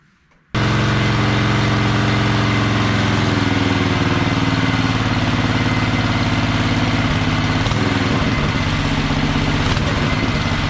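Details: Wheel Horse mud mower with Tecumseh engine, Mikuni-style slide carb, governor arm removed, needle clip at richest position: catches straight away, smooth even single-cylinder beat, steady pitch, no stumbles; running properly.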